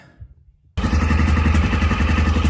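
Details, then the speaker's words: Daelim quad after the CVT was reassembled with the belt: after a quiet moment it revs to a steady, even throbbing beat with no shudder as the clutch engages, taking up much smoother than before. "Now, if we give it a little bit of a rev, you'll see the clutch kick in. So as if you go on, so as the clutch is coming in a lot smoother now."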